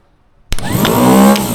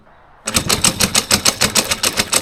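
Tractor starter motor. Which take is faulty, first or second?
second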